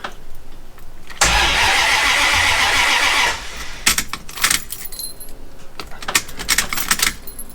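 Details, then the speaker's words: V8 manual-swapped Jeep ZJ with new rewired starter: starter spins steadily for about two seconds with no firing; cranks but won't start, no spark apparent, fuel line was left unhooked earlier. "i guess i should push the clutch in eh that's new well the starter works it didn't sound like there was any spark though"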